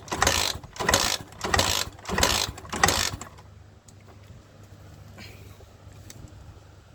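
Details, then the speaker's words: Honda Sonic 125 that would not start after being parked, three days after a repair with new spark plug and new carburettor: cranking compression test with throttle wide open reads 150 PSI. Five even cranking bursts, about 1.5 per second; strong, even, normal compression. "ค่าที่ได้นะครับ150PSIน้ำมันจากถังลงมาก็ทำงานไฟออกกำลังอัดมี"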